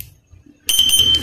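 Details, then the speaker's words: Motorcycle with a WiFi/Android remote alarm, fuel tank not fitted: silence, then a sharp high half-second beep with starter clatter underneath. Alarm confirms remote start; starter engages but engine can't run without the tank. "Nah posisi dia hidup. Nah dia akan langsung starter, karena ini posisinya tangkinya belum dipasang, jadi motornya belum hidup."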